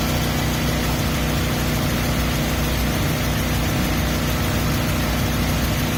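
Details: 2003 Mazda Miata MX-5 at steady idle: a faint, quick chirp riding over the engine hum; source of the chirp not yet found.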